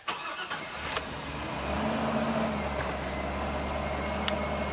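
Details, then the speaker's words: 2009 Chevy Silverado 3500HD, 421,000 miles, normal start after clearing a flood with the spark plug reinstalled and codes cleared: brief crank, then the V8 catches and settles into a smooth, even idle with no misfire. "Sounds lean and mean. [Applause] Wow. It runs super smooth."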